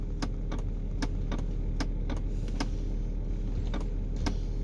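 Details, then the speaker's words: Land Rover Discovery 3/LR3 with HDC and special programs inactive lights and a suspension fault: sharp, uneven relay-like clicks over a low hum when the brake pedal is pressed. The owner suspects the brake pedal switch or sensor. "i'm pressing the brake pedal we've got a click it sounds like it's going from a relay around here somewhere and they click at the pedal"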